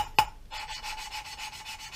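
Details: Subaru cylinder head with carbon buildup, exhaust valves suspected leaking: soft rhythmic gritty rasping, three or four strokes a second, as valve is rotated on its seat with lapping compound, leaving a fresh silver ground line.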